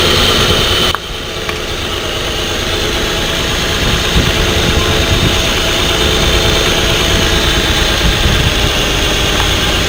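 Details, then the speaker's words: Pickup truck with a flashing check-engine light and code P0350; ignition coil connectors unplugged one at a time at idle: engine note changes per cylinder but not at the bad coil; misfire traced to a faulty ignition coil. "aquí ustedes pudieron ver la falla claramente verla y escucharla se dieron cuenta como a la hora de que les conectaba cada conector el sonido del motor cambiaba"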